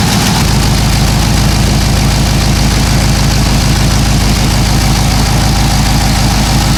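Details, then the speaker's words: Cadillac CTS-V LS V8 with long-tube headers and broken header bolt: idle with sharp puffing tick from exhaust leak, tone changes as a clamp bracket is tightened while running, leak seems gone. "There was definitely a tone change, and I'm listening, trying to listen very closely here. I think it's all gone."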